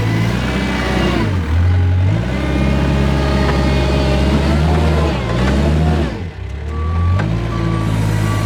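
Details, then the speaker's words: Kubota R520 hydrostatic wheel loader pushing into a pile in reverse: diesel loads up and drones heavily with reverse alarm beeping, machine barely moves; reverse drive weak, suspected hitting relief in the reverse circuit, forward climbs fine. "So definitely proved that uh reverse just kind of falls flat on its face when you go into the pile and that forward it definitely wanted to climb that pile. The wheels would keep spinning but in reverse it just it's almost like it's hitting relief in the reverse circuit du"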